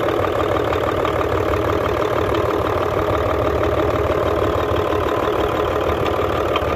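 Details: Hino Euro J08C six-cylinder truck diesel idling with a hard, regular knock of about three per second over the clatter, coming from the air compressor side. Air compressor connecting rod knock.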